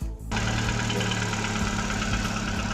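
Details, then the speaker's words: 2013 Chevrolet Cobalt, B15D2 (L2C) engine, 91,700 km, at idle: a light, regular knock from the engine; excess piston-to-cylinder or pin-to-conrod clearance is suspected, possibly a worn small-end bushing, with an endoscope check still to come. "то есть вот такой звук происходит из мотора Это говорит о том что Ну и личный зазор любой между поршнем и цилиндром либо пальцем и шатуном"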